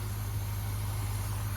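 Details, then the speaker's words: Cheap squarebody V8 truck at first start, cold: a deep, steady, smooth idle with no misses or knocks, running like a top. The accelerator pump works and the wiring is mouse-chewed; a cooling issue means it must be shut off before it warms. "It's running amazing. Wow. Smooth. I mean, look at it shaking. It's not shaking."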